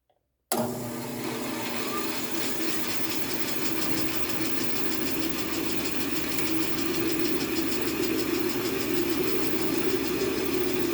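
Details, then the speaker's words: Grizzly bandsaw after guide bearing replacement: spins up to a steady even hum with a smooth whir, no grinding or rattle; new bearings running clean, normal. "the bearings have activated and the bearings are clean and they're doing what they're supposed to do to do"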